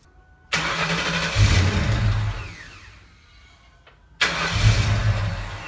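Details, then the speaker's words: Mustang first start after installing a new exhaust with a zip-tied busted hanger: cranks and fires promptly, settles to a steady throaty idle, then restarts cleanly; no ticking or puffing, so no exhaust leak heard; normal start and idle. "We're going to start the car and see what this exhaust sounds like. Hopefully there's not an exhaust leak."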